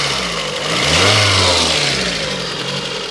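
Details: Lada Kalina after engine repair (rings replaced, crankshaft reground): clean blip of revs rising and falling back to idle, smooth with no knocking or tapping; the earlier engine knock is gone.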